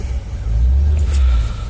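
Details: Land Rover 4.0 V8 after clearing a blocked base idle screw that caused stalling once warm; deep, steady rumble with an even beat, no stumbling or hunting; normal idle.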